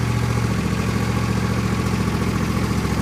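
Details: John Deere L118 mower after transmission fan replacement: single-cylinder engine runs steady and even, with no scraping or rattles from the fan area.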